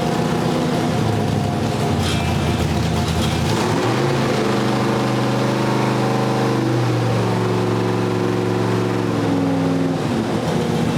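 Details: Ford V8 with Sniper fuel injection after first startup, 60 psi oil pressure at idle, static timing set; deep, even burble swelling smoothly on throttle blips and dropping back cleanly; normal idle and rev.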